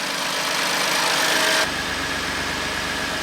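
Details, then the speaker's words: Crash-damaged BMW M2 Competition, being rebuilt, rated about 630 bhp, idling while checked for oil and coolant leaks: an even, steady idle with constant pitch and no knocks or rattles, running fine. "it's really quiet you wouldn't know it that's for sure"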